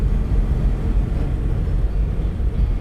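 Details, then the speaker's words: 1993 Toyota Land Cruiser 80 Series with front driveshaft removed, coasting off throttle at about 50 mph: only smooth low road rumble, no shudder. The heavy deceleration vibration is gone, so the front driveshaft is blamed. "we got nothing. There's no sound. So, I would say 95% of all of that sound coming from the front drive shaft."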